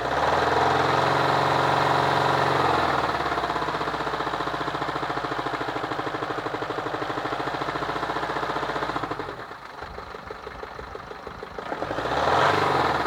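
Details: Steady idle with a rapid, fairly even knock about four times a second over the engine note. Engine knocking from an unclear source.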